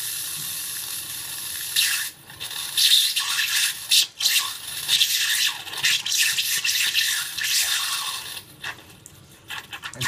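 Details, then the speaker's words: Faucet after installing a Watts 500800 hot water recirculation pump: water hisses and spits in irregular bursts, about one a second, with gaps between, as air purges from the hot lines; sputtering from air in lines. "And so we'll wait until it starts coming out without any air."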